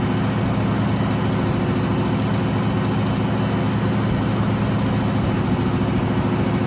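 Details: 1963 AMC Rambler wagon 287 V8 at idle, not started in a while: high thin squeal over lumpy idle, steady with engine speed; left-bank rocker shaft starved of oil after rocker shaft bolts were mixed up installing valve stem seals.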